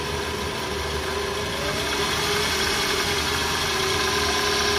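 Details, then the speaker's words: 2010-era Toyota Alphard, engine fairly hot, in drive/D3: constant droning hum with coarse gritty rumble underneath; factory mounts never disturbed, no leaks, so noise attributed to a worn balancer shaft, to be replaced as a set. "Nah suaranya kasar ya ni kalau kita lihat juga kondisi lem dari karakternya atau silent nya ini masih bawaan pabrik jadi belum pernah bongkar Jadi emang udah bisa dipastikan problem dari balon"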